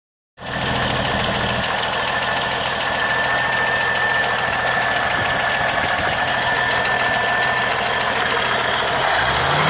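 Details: 1980 Jeep CJ7 engine running: a fast, light tick of about three per second over the idle; a ticking noise of unknown cause.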